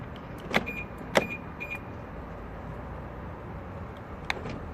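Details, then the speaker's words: BMW F01/F02 passenger door with soft-close, not locking or unlocking, panel removed: short electric whirs with sharp clicks but no solid latch clunk; actuator motor runs but does not lock. "don't know if you can hear it obviously the lock here blood she's is closed so we should be locking in and looking but he's not doing it"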